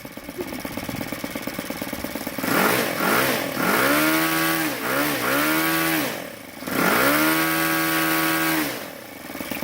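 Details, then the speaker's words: YS FZ63S supercharged glow four-stroke model engine after rebuild with replaced leaking throttle barrel seal, APC 12x8 prop, OS F plug, Omega 15% fuel (10,000 high / 2,220 low RPM); crisp rise and fall through revs, clean steady note, no faltering at any RPM; healthy. "And they don't falter at any RPM. There you go. YS FZ63S. She's running sweet,"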